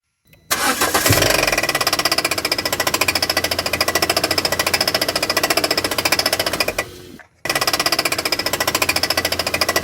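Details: Citroën Xsara 1.6 16v TU5JP4 petrol engine at idle: rapid, even knocking resembling rod bearing knock; with auxiliary drive belt removed and pulleys checked by hand, cause found to be a virtually destroyed crankshaft vibration damper pulley.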